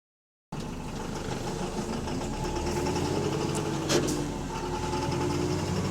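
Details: AL HV48 bus diesel on route 335 at low speed: uneven knocking beat about three to four per second over the rumble, suspected rod knock; engine knocking.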